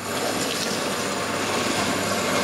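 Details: Ariston LS 603 dishwasher after adjusting the level/pressure switch: steady rushing and splashing water over a smooth pump hum, no knocks or grinding; washing normally, seems fixed.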